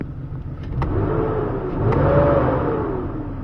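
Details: BMW E39 that had a crank no-start wiring fault and a non-working accelerator pedal, after repair: two clean throttle blips, engine note climbs smoothly and falls back to idle with no stumble or hesitation, healthy throttle response.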